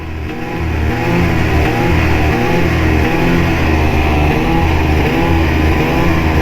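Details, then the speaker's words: Arctic Cat Catalyst snowmobile at about 500 miles, riding on trail: engine stutters and stumbles when just tipping in on light throttle, smooth with steady throttle pressure; owner suspects throttle safety switch, unconfirmed. "That's what I'm just just tipping in on the throttle. It's very weird. Feels like throttle safety switch, but I'm not sure."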